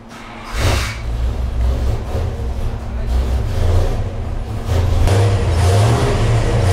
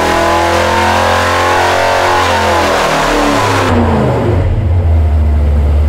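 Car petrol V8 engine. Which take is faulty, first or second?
first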